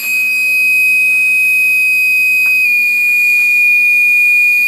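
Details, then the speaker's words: Old 1500 W spindle on 6040 CNC with China controller, noisy since new; steady piercing loud high whine, owner suspects bad bearings and replaces it with a 2200 W spindle and VFD. "that sounds horrible so I feel there's bad bearings in here so I'm going to ditch the whole system the 1500 watt spindle and the China controller"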